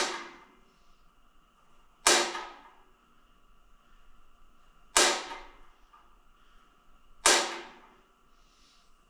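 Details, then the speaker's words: Propane shop heater ("garbage can heater") first startup on light/ignite/purge setting: air in the gas line; four sharp igniter snaps at uneven intervals with no burner whoosh, hissing out atmosphere from the tank until propane reaches the pilot. "I can hear it hissing but once again with it hissing it's it's hissing out the atmospheric pressure that was in the tank and then you can start the light"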